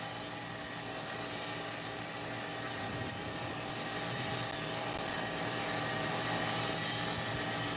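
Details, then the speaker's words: Megatech nitro RC car under restoration, carb sealed, running in yard: high buzzy nitro idle holding only loosely and drifting up slightly; unsteady idle, needs a tune. "All right. I mean, it's keeping the idle to a degree."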